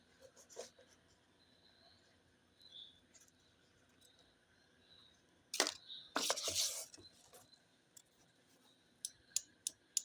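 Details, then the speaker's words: Relay being bench-tested, coil measuring about 167 ohms, 12 volts from a battery applied across the coil pins: one crisp snap as it pulls in, then light handling ticks in a quiet room; normal relay click. "ඔයාලට එනවා battery 12 volt line එක දුන්නාම relay එක අල්ලන සද්දේ."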